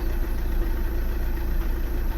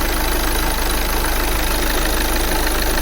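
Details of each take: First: 2009 VW Tiguan 2.0 TDI diesel at idle: lumpy, uneven, shaky beat with low rumble, like running on three cylinders; exhaust stinks and blue-white smoke; drives fine above 1500 rpm. Misfire suspected, cause unconfirmed. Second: 2009 VW Tiguan 2.0 TDI diesel restarted after clearing fault codes: steady idle with even low rumble and only normal diesel clatter, no misfire beat; running fine, exhaust better, cause of earlier misfire unknown.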